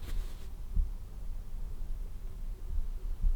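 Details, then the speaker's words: Dyson HP02 fan switched off after continuous monitoring was disabled: near silence with only faint room rumble and soft thumps, as the low-speed humming from continuous monitoring has stopped. "hopefully you can hear that it's nice and silence so that is it every time you turn it on and off from now on it won't go back into continuous mode"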